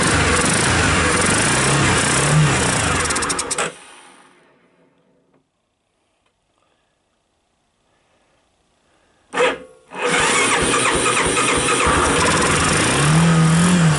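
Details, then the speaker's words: 1985 Honda TRX250 ATV cold start with unrebuilt carb, choke disconnected and fuel poured into bowl and intake, powered from a battery pack: single cylinder putters at a steady, even beat, no knocks; idles cleanly. "anyway so yeah it did start up and when it started this light went green here which tells me some of the electrical system is alive"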